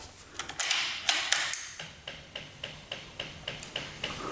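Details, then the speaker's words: Honda Ruckus scooter (2015 or 2018 stated) with a new fuel pump installed, key on: quick light ticking about three or four a second that runs briefly and stops; the fuel pump priming normally, where before it only clicked. "Let's see. All right. Pump is coming on. That's a good sign."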